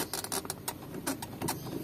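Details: Manual transmission shift lever: short scratchy squeaks in bursts each time the lever moves, no engine note; dry shift lever pivot, fixed by lubricating with penetrant, WD-40 or grease.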